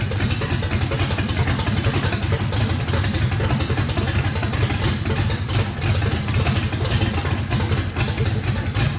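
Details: Fresh drag-race engine with a radical camshaft, first fire-up, loud choppy rhythmic lope over a deep exhaust rumble, idle even. Overlap and lobe separation thought to need lots of throttle, blade about six percent open; normal lopey idle.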